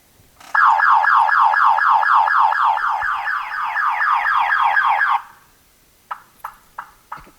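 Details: 1985 Chevrolet Monte Carlo SS with a 350, flooded in a storm. A loud warbling siren cycles about four times a second for several seconds, then stops with four short chirps; the car alarm going off.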